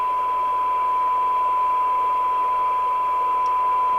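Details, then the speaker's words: 1997 Jesan 88-900 CB27/81 UK FM CB base station revived from scrap, receiving a 1 microvolt test signal with the PLL running; full alignment still to do. Clean steady mid-pitch tone over light hiss; normal test tone reception. "I think we're going to do this as a two-part because, yes, I can hear it, because the tune-up's quite complex on these."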